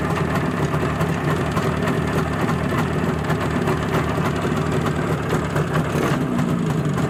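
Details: Izh Jupiter-5 two-stroke with balanced crankshaft, heard now after earlier metallic ringing blamed on piston geometry; steady, even idle with smooth low burble and no ringing or knocking; normal idle.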